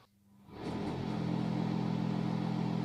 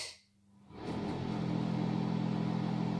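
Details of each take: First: Bathroom/toilet exhaust fan (aspirator), after being removed and reinstalled with support underneath: even steady hum, low constant tone, no rattle or scrape; remaining noise is normal for product quality. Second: Bathroom/toilet exhaust fan (aspirator), 220 V, before repair, noise sometimes rising: loud steady drone with coarse rattling hum underneath, noisier than it should be; cause not confirmed.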